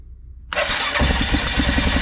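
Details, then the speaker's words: 2010 Arctic Cat 700 H1 fuel-injected ATV, 250 miles, no-start after tipping: brief crank, then it catches and settles into a steady, even idle once the stuck-open throttle is freed. Normal start after the fix. "whoa how about that okay so the throttle just got stuck when the guy dipped it so that kind of seems to be our only issue here"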